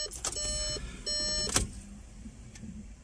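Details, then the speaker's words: Audi A1 Sportback during a service, with the fuel filter empty: with the ignition cycled repeatedly, the rear fuel pump gives two short steady whirs, then a click and quiet. It primes normally to fill the filter. "vous l'entendez à chaque fois la pompe pas mal à l'arrière la mort ce plusieurs fois jusqu'à que le gasoil emote"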